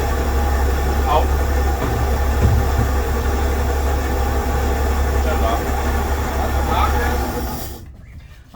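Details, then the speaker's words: 1965 Chevy step van engine after 1-barrel carburetor rebuild and new fuel pump, previously seized and freed; steady, even low idle rumble with no misses, stumbles or knocks until shutoff; runs smooth while getting oil. "It ran smooth. Yeah, it seems to run smooth as long as it's getting oil. Carb seems to be working great now."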